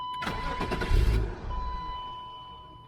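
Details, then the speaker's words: 1996 BMW 328is E36 being restarted after repairs. Starter cranks and the engine catches, then dies within seconds, repeatedly. It still smokes and smells bad; the cause is unknown. "it's shut off. Shut off again. Come on, auto."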